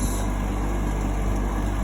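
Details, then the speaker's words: GE AHEK08ACW1 air conditioner, three weeks old, that kept kicking off, after bypassing the control board and reassembly; a steady low hum with an even, unbroken drone and no knocks or rattles, not kicking off, blowing cold. Normal running. "so far it hasn't kicked off it is cold it is on so at least it works"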